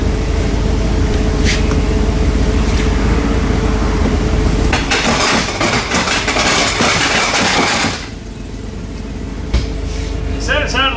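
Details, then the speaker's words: Mercedes-Benz C300, noise customer first thought a wheel bearing, then much worse: steady drone breaking into harsh metallic clatter; front driveshaft U-joint completely failed, front driveshaft needed at least, catalytic converter also probably affected. "Front U-joint completely left the chat. I don't know if you can see that or not. Yeah, so front drive shaft at the very least."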